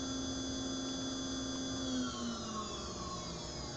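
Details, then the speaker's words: PwnCNC spindle on a Sienci Longmill MK2 CNC, run by a VFD over Modbus, switched on: smooth high-pitched whine holding steady with slight pitch drift, no rattles or grinding; bearings sound healthy, a normal spindle run. "what I have here is I'm on mod vfd I have my spindle so I can turn it on and you can hear my spindle spin"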